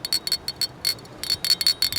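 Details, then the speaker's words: Harley-Davidson Keihin CV40 carburetor, cleaned during Yost PowerTube install, shaken by hand: bright metallic clicks in quick bursts; check valve rattles loose and free as it should. "that's that check valve in there I want to make sure that that is nice and loose"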